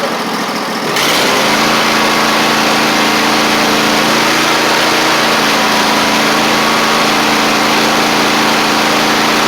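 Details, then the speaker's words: Husqvarna YTH24V48 riding mower V-twin at steady idle after carb work, engine covers and air filter refitted; runs better than uncovered but still a slight occasional stumble at idle. "Got it all back on, engine covers and stuff, and this time it runs better now that the covers are on, because the air filter filters some of that air, not quite as much air going straight into the carb intake, so. You can hear just a slight stumble still."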